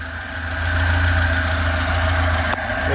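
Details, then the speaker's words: Lada 2104 carbureted engine, choke not fully needed, idling on fuel dumped into the carburetor; steady even low rumble, no misses. Owner thinks it runs a bit rich from the dumped fuel and blames a bad fuel pump. "okay she's running really good I can't believe it I think I didn't need to pull the chalk close the truck all the way but she's running good"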